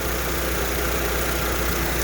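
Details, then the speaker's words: 2005 Honda Civic at idle just after power steering pump replacement and bleeding by turning the wheel lock to lock: smooth even idle, no whine or groan, no more foam in the fluid, pump working well. "hopefully you guys can see there no more foamy stuff the pump seems to be working really good"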